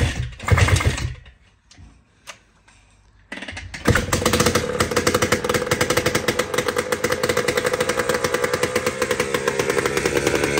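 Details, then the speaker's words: Jawa 250 type 592 two-stroke motorcycle engine after complete overhaul with new piston set (rings had been fitted upside down), starts after fiddling and runs ragged, uneven popping that won't settle; rough running from air leak at crankshaft seal and carburettor spacer. "It's just like looking for a needle in a haystack because You don't know where to start What is the problem is it the carburetor it's the spark plug it's the coil it's the ignition nobody knows what the problem is"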